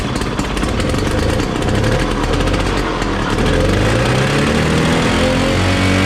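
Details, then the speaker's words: 1968 Ski-Doo Super Alpine with a Rotax 370 two-stroke, after clearing a muffler tailpipe packed full by animals: crisp crackle picking up evenly as revs rise, no choking or bogging. Runs freely and healthy. "So I guess our original diagnostic was correct after all. That sounds like it's working like it should."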